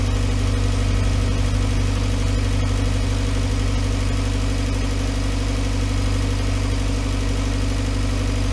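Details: 2011 VW Voyage with EA111 engine at steady idle: smooth low drone, no ticking, knocking or whining over several seconds. The noise complaint was traced to the water pump; the timing belt and tensioner were replaced. Normal idle.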